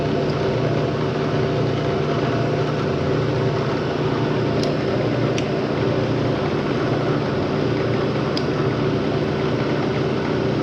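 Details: 1970 Bridgeport milling machine, found dirty and abandoned, quill test in high speed: steady, even hum with faint occasional ticks, no grinding or whine; sounds all right, just very dirty; spindle running normally.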